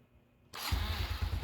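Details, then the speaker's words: 2019 Honda Wave 110 after carb, top and side overhaul (gaskets, bearing, broken parts replaced, reversed clutch-side assembly corrected): starts and settles into even low thumping idle, no clutch-side rattle or leak; runs healthy. "Tunog pogi na, boss. Tunog brand nyo na."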